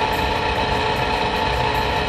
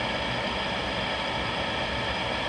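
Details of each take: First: Rheem power vent water heater vent blower motor running during a burn cycle: steady drone with a fixed high whine and rough gritty edge that ramps up after about a minute; worn blower motor bearing, getting noisier over weeks. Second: New replacement vent blower on GE power-vent water heater (old one had bearing noise ramping up after a minute), after ignition with flame on: steady even whoosh and low hum, no rattles or surging; normal.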